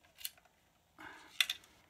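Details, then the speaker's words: Anet A8 3D printer power supply being tipped during unboxing: quiet, then sharp tinny clicks and a short metallic rattle; probably a loose screw rolling around inside. "oh that didn't sound good power supply duh well that doesn't sound good at all there's something moving around in there"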